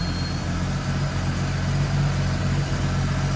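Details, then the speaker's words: AMC Eagle carbureted engine after turning each screw out another half turn; steady, even low idle with no misses, stumbles or hunting, purring, normal idle. "Okay. That sounds a lot better. Doesn't it? that is purring."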